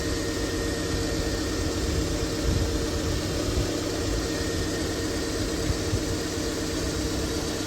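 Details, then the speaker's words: 2001 Honda Civic after power steering pump replacement, front raised, fluid topped up, wheel turned lock to lock to bleed air: steady, even idle with no whine or groan; new pump operating normally. "Um, and I'm going to turn the steering wheel lock to lock to remove any air bubbles in the system."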